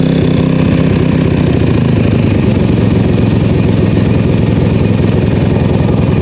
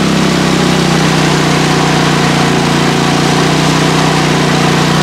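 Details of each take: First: PowerSmart MB5040B 4400-watt generator, cold start after sitting outside overnight at 25°F, with choke fully on and eco mode off. Loud, steady low chugging at constant speed with no hunting or misfiring: a normal settled no-load idle. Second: PowerSmart MB5040B 4400 W generator pushed to about 30 A with heaters and a blower: a steady, heavy drone held at constant speed under full load. The overload light comes on; it is overloaded.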